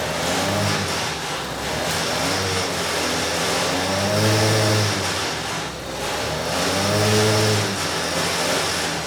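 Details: Vintage Huffy two-stroke motor bike, pedal-started on a trainer, unloaded: small engine buzzing up and down with throttle, pitch rising cleanly with no misses; runs healthy, carb jetting possibly slightly off.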